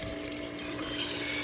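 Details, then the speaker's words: Ditch irrigation pump just primed via garden hose and foot valve, all air purged: steady motor hum with even tone and water rushing through, no sputter or air gulping; normal pump operation. "So all the air is removed from the pump."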